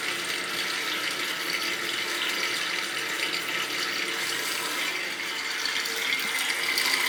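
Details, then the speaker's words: Old boiler heating system drained to replace an expansion tank with a zero-pressure diaphragm, now refilled: a steady hiss and rush of water through the pipes as both zones are purged of air; normal purging. "it's gonna do the little zone through both zones and we'll be good to go well no because we're purging it again because i had to drain it out to change the tank right"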